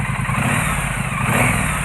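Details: Triumph Street Twin that misfired on one cylinder from a snapped, likely overtightened spark plug; both plugs replaced and spark plug drain holes cleared: revs cleanly and evenly with steady exhaust beat, no popping or missing; healthy.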